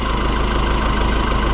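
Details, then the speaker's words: Oliver 1365 (Fiat 640) diesel tractor, after the fuel filter leak fix: a deep, even idle with a steady beat and no knocks or misses. Normal idle. "It's a sweetheart. I'm going to put the grill back on, I think. Now it's got its face on again. What a sweetheart. I could listen to it all day."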